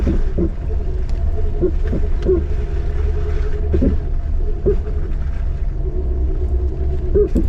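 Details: Jeep TJ with 2" suspension lift and 32" tires on an easy off-road trail: short squeaky chirps every second or so over the trail rumble as the suspension works; a bad rear shock, since replaced.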